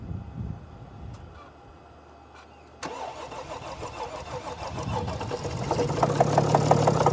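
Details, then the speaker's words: 2014 Mercedes GL350 3.0 L diesel, crank-no-start complaint, sometimes dies after two or three minutes: after a quiet crank it catches and runs uneven and lumpy, pulsing irregularly, engine shaking badly; severe rough running, cause not yet diagnosed. "Oh, listen to that. I hope you can see the engine shaking. This engine is shaking very badly."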